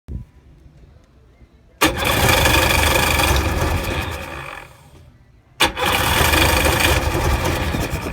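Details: 2000 Sea-Doo GTI that bogged down and died; spark present, carb rebuilt, fuel selector changed: two cranking bursts of about three seconds each, turning steadily but never catching.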